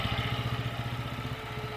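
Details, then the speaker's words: Briggs & Stratton 5 hp four-stroke air-cooled mud motor after revival: single-cylinder thumping at idle with slightly uneven beat, previously backfiring; rough idle, carburetor needs cleaning or rebuild kit. "like I said it's ruining everything but it ain't idling quite right but lower end's good"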